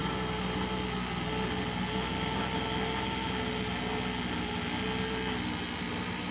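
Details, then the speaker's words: Craftsman two-stroke leaf blower, long-stored, on premixed fuel after priming: high, buzzy drone that wavers and never settles clean; carburetor low-end mixture needs adjusting. "that the carburetor needs an adjustment. And right up in here, there is a low and a high."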